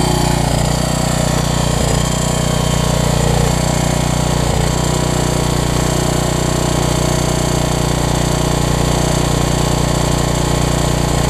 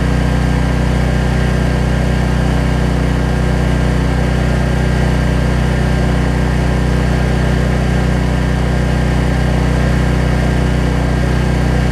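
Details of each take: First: Troy-Bilt 550-watt generator, run on choke with a new coil; a small single-cylinder engine running steadily with a constant rough scraping rub, which the owner suspects is the shroud, not the engine; the rub later cleared. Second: Troy-Bilt 550-watt generator, after a no-spark fault was traced to the low-oil sensor module; runs with no load, a steady even drone with a smooth unchanging beat and no misses or knocks.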